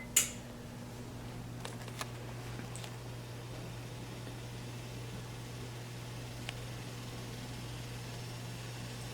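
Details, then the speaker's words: Samsung convection oven on bake at 350°F, three fans (top, middle, bottom) running: steady low hum with faint buzz growing louder; worn convection fan motor with shaft play, replaced with part DG31-00005A. "so i can hear it already i don't know if you guys can hear it but right there that's the middle fan that's the top and that's the bottom uh those are the motors"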